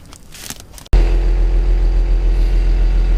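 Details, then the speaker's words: Forestry mower with Fecon mulcher head after service, hydraulic filter change and belt tensioning: engine catches abruptly and settles into a steady, deep, even rumble with no knocks or squeal; running smoothly. "all right guys well like I said I got it all fired up here got everything done on it just kind of want to show y'all hear it all running everything show you how it all turned out"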